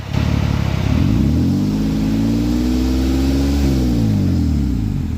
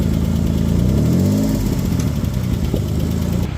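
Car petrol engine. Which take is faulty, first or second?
second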